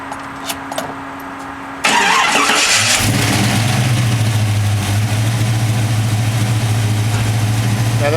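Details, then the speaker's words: 1991 Chevrolet K5 Blazer with a hot ignition system, electric fans and working choke/high idle, cold start: short crank, catches cleanly, then a smooth steady idle with no lifter noise, knock or ping. Normal cold start. "there's no lifter noise, no knocking, no pinging, no nothing. This thing just runs like a champ."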